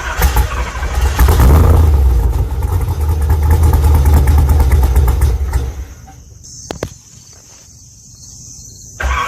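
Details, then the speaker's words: Engine fires and settles into a busy idle with a metallic rattle over the low rumble, caused by a loose small ball jiggling into the flex plate; transmission had to come down to retrieve it. "that noise was the sound of the ball getting loose in here and then jiggling all into the flex plate things means i had to go through all of this just to get one little ball down"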